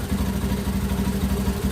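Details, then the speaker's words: Honda Beat ESP injected scooter after fixing a stalling fault: with a battery cable disconnected it keeps idling steadily with an even low pulse, no misses or surging; charging is normal. "kita coba lepas salah satu harus dari aktif terlepas mau tetap hidup berarti normal pengisian pun normal"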